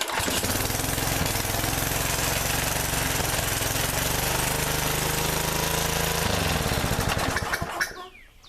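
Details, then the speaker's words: Murray trimmer mower, engine off a regular lawnmower: small single-cylinder catches quickly and holds a steady even chug with no knocks or misses, then shuts off cleanly; cranks and runs fine. "why would someone change the engine on this thing i don't know this thing cranks and runs just fine there ain't nothing wrong with that engine"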